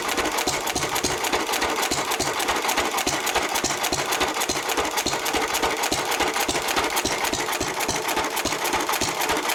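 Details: 1923 3.5 hp Emu (rebadged Hercules) hit-and-miss stationary engine, restored early 1980s, first start in 20+ years after oiling a sticking magneto/exhaust valve linkage; crisp, regular ticking and popping about three and a half beats a second, running healthily.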